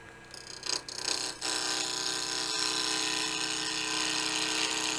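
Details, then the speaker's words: Wood lathe after moving the drive belt back to the high-speed step: a few clunks, then motor whine ramps up and settles into a steady even hum at 1700 rpm, only half speed; running normally. "So now I'm at 1700 RPM, I'm only at half speed, so that's good."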